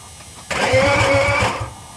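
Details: BMW 323ci after gasket replacement: about a second of pulsing starter churning, engine never fires or picks up speed; cranks but won't start, cause unknown.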